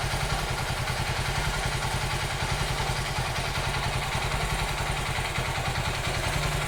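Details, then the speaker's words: 2008 Honda Titan 150 (CG 150) single-cylinder engine at idle: loud, hard metallic clatter about three knocks a second, sometimes louder; on teardown the piston showed wear; piston slap. "Tem vezes que o barulho altera mais ainda, galera. Barulho bem forte mesmo. Tem vezes que o barulho altera bem mais do que tá agora."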